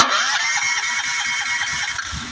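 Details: Honda GX390 electric-start engine, key turned: starter whirs and the engine turns over in quick, even pulses but never catches. Crank no start with no spark, caused by a faulty low-oil sensor grounding the ignition.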